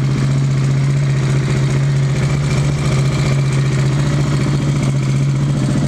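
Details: KTM 690 single after adjusting Rally Raid mechanical cam chain tensioner to pressure point plus half turn: steady, even low thump with smooth hum, no ticking or rattle; healthy normal idle.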